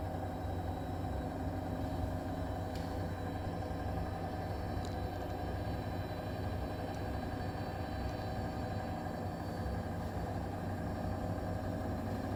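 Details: New Bosch Serie 4 EcoSilence washer, technician-installed with transit screws removed, spinning: steady droning hum, low rumble and constant mid-pitched tone from drum/spindle while brushless motor is quiet; present 400–1400 rpm, loaded or empty, cause not pinned down.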